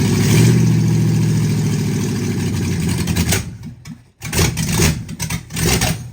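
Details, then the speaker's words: 1960 Ford F100 shop truck, open header, just started after years sitting on a temporary fuel tank: stumbling, lumpy, unsteady idle; owner suspects a gummed-up carburetor and metering plate problem. "All right. Well, it's showing to idle. It's got a lot of issues."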